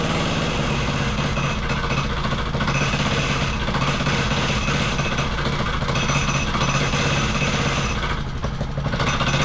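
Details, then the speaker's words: Wacker Neuson VP1030 plate compactor after governor, throttle lockout and carb adjustment: steady low thudding over a constant engine drone. It whacks properly, though owner suspects worn clutch springs. "but it does it whacks all right it does the job"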